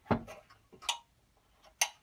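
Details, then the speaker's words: Fine Elements SDA1050 1500 W hot plate with no heat and no red light, fuse already changed: three sharp dry clicks about a second apart as the switch/contactor cycles on and off; owner suspects the heat sensor/thermal fuse. "if you look a contactor coming on and off they're kind of a heat sensor thing in there"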